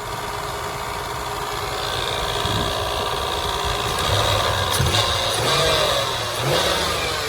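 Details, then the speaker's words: 1999 Toyota 4Runner SR5, 3400 V6 (3.4L 4-cam 24-valve), 268k on the clock, front-end crash damage: smooth, quiet idle under a light scraping whir following fan speed, cooling fan rubbing its shroud; otherwise runs pretty good. "Besides that fan getting rubbed to death, runs pretty good."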